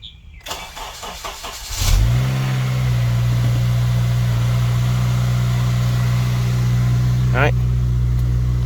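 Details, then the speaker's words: Honda Civic 8th gen start after a VTC rattle fix locking the actuator pin: starter cranks briefly, engine settles into a smooth steady idle without the roughly three-second startup rattle it used to have. "this car used to rattle for like three seconds before it used to uh stop all right as you can see it didn't rattle just just like that that's simple"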